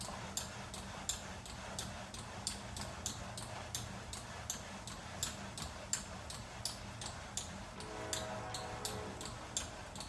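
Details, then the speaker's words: Second VersaClimber climbing machine, newly set up, squeaking in use like the first unit: steady rhythmic clicks and recurring high squeaks with each stroke. "I just received my second post, set it up, and the same squeaking sound is audible."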